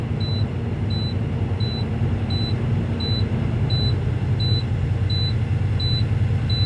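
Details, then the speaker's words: Diesel semi truck idling, air tanks refilling after leak, secondary filling before primary: steady high beeps about twice a second over idle rumble; low air pressure warning, transmission may not engage. "you're going to have um the alarm go off you're going to have the system air pressure low transmission might not uh start meaning I can't move even if I wanted to"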